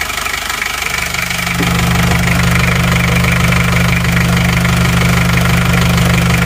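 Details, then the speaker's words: Isuzu Panther 2.3 diesel after new piston rings and liners fixed heavy blow-by smoke from the breather under the engine, warm with thermostat fitted: even, steady clatter at idle, no misses; only faint smoke, normal diesel idle. "kita lihat buangan bawahnya langsung sudah aman gak ada asapnya asapnya tipis-tipis banget walaupun mesin sudah panas"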